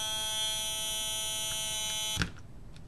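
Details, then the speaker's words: LM386 amplifier with no input signal: steady high buzzy whine from the power supply, cut off abruptly with a click; cured by adding an electrolytic capacitor from VCC to ground; power supply noise. "this is what it sounds like with no music playing there's no signal and there's this really annoying frequency being generated"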